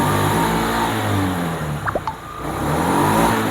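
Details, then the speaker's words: Honda Zoomer-X after fuel injection pump replacement: previously started and idled but died when throttle was twisted; now engine picks up cleanly on throttle blips, drops back and climbs smoothly without stumbling, idles normally; fault was the fuel pump. "อ้าวไม่มีดับนะครับอ่าเมื่อเราบิดนะครับแล้วเบิ้ลคันเร่งนะเมื่อกี้ได้เรียบร้อยแล้วไม่มีปัญหาละบิดได้ปกติและเดินเบาได้ปกตินะครับ"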